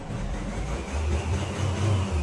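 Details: Isuzu D-Max 1.9 diesel that had heavy black smoke, sluggishness, high fuel use and throttle lag, after intake cleaning, cat pipe replacement and EGR blocking: deep rumble rising and falling with throttle blips, smooth and even. Revs cleanly.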